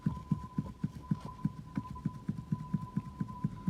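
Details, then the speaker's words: Hyundai Accent rear suspension knocking on bumps at low speed, right wheel: dull regular thumps about four per second under faint hum; cause worn rear sway bar bushings, not the rear strut already replaced. "да это тоже самый столько был который у нас тут по кочкам едешь медленно удара тык тык тык тык на столе в эту правое колесо да это он и есть"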